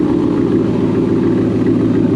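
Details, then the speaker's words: 1997 Chevy K1500 5.7 Vortec after a new module was fitted: uneven, lumpy idle with wavering loudness, sounding and smelling fuel-rich as before. Owner unsure whether it needs to relearn and fears the engine is blown: rough running. "It sounds the same, smells the same. I don't know if it's going to make it smell less fuely."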